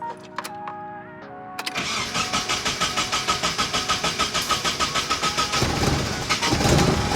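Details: Nissan 240SX S13, KA24DE, after fuel pump change and rebuilt, leak-free injectors, started in neutral: cranks, catches, then runs on a ragged, pulsing idle about 200 beats a minute that sags and nearly dies; hard start and stalling not fixed.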